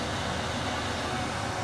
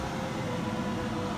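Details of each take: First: 2023 RAM Promaster with Butler Technik gasoline Webasto 2000 STC 12V 2kW heater, first start after install: fan rushes up to full speed with no fuel pump ticking heard; the pump isn't running, a blinking fault code follows and it won't light. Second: 2023 RAM Promaster with Butler Technik gasoline Webasto 2000 STC 12V 2kW heater, running after an initial pump fault code and two starts: steady even hiss of blower and combustion with a faint low hum, no surging or knocking; running normally.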